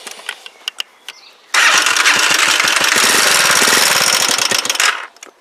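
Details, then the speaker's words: Huoniao HN125 single-cylinder, freshly installed engine: starts and idles unevenly with a light, fast ticking over the exhaust beat. Valve tappet rattle at idle; runs reasonably well, but the valve clearances need adjusting. "it runs it runs reasonably well apart from the tap it's wanting doing uh valve clearances"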